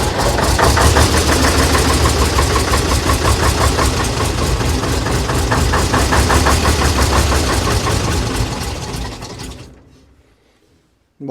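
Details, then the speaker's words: AEC Matador with 7.7-litre AEC diesel, start attempt in cold weather after injection pump and injector overhaul, in neutral: steady cranking about three turns a second with hard uneven chuffs, nearly catching; air still in the fuel system. "we got to remember that the entire fuel system's been apart. So, I'll blow out what air I can, but it's still going to take a bit more work."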